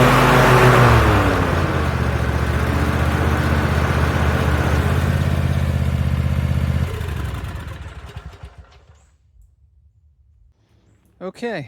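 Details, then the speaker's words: 2021 Cub Cadet ZT1 50 zero-turn mower after replacing an overstretched deck belt: engine and deck hum steadily with the PTO on, no squeal or flapping, then wind down; deck vibration and noises gone. "but that is now behaving normally I don't see the excessive vibration in the deck I don't hear the funny noises I was hearing"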